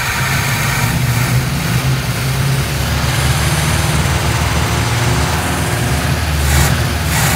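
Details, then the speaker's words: 1957 GMC 100 pickup old six-cylinder after sitting many years, feared seized from low oil, cranked slowly: low, fairly even rumble while running and revving, no knocking heard; judged a good engine, normal running. "so at least I know it's a good engine so I could at least pull it and mothball it for now"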